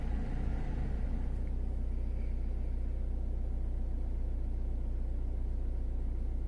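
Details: Citroen C4 Grand Picasso 1.6 HDi turbo diesel, about 89,930 miles, cold start heard from inside the cabin: even, regular low diesel rumble at about two and a half pulses a second, app reading about 56 dB; normal healthy cold idle.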